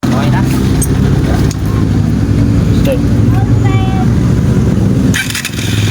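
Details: Honda TMX 125 Alpha after a tune-up in which excessive valve clearance (tappet ticking) was adjusted and timing checked: steady low single-cylinder idle with an even beat and no top-end ticking; engine now quiet and healthy.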